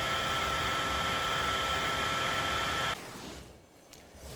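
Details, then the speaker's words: Dell Optiplex desktop PC, CPU fan after disassembly and cleaning, recorded on a phone: loud constant airy rush with steady high whine, then cuts off; fan noise still far too loud after cleaning. "I'm using my iPhone to record The Fan noise not sure if it's really coming across how loud it really is take a listen"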